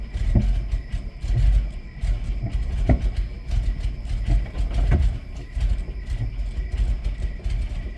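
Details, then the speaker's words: 1993 Plymouth Grand Voyager SE running after 18 years parked, new coil pack fitted with no change, good oil pressure, low compression suspected: rough, lumpy running with sharp pops every couple of seconds. It is backfiring through the intake. "I don't know what to think he backfiring out the intake"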